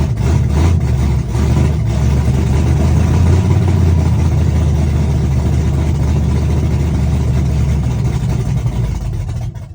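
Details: Chevrolet S-10, first cold start of the day, open headers, Holley red electric fuel pump, cam about .480/.488 exhaust lift, ~297° advertised duration: loud, deep choppy idle with uneven loping pulses and raw exhaust bark; normal big-cam idle.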